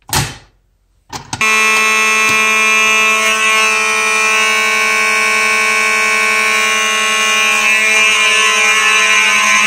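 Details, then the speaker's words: Simplex fire alarm horns (4903 series, 2099, 4251 etc.) on a Simplex 4004 panel set to continuous: a thump, short pause, then a steady, unbroken loud buzzing tone without pulsing; continuous signalling working normally. "so god that was loud this is why i don't really care for the continuous too much"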